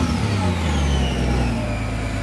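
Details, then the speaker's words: Subaru Tribeca 3.0 H6 boxer, new water-cooled VLC supercharger kit (240 to 340 hp), custom exhaust, cold: strong smooth even revs rising and settling without misses or knocks; runs as it should, no warning lights. "nice boxer engine sound so everything runs as it should no aor lights nothing at all"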